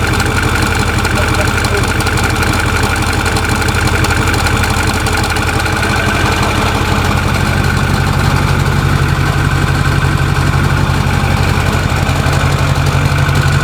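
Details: Truck idling after its pulleys were changed: steady beat at first, then a low droning note creeps in and grows, the worst sound since the pulley change and not improving; abnormal engine noise at idle.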